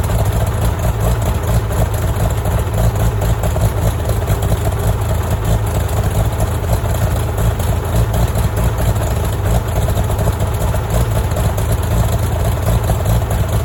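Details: Farmall tractor (1949 H or 1968 656, unclear which), troubled by fuel problems and cutting out; carburetor adjusted after it hadn't run over 30 seconds, coolant was 2.5 gallons low. Steady, even low engine beat, no misses or knocks, idling smoothly; normal running.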